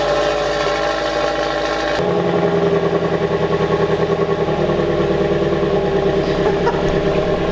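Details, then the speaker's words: Subaru BRZ with a new Karma center-exit valved exhaust on its first cold start: it fires and settles into a subdued, muffled cold idle. "the downside of this is that the one you just heard that Cole sir you just heard was muffled"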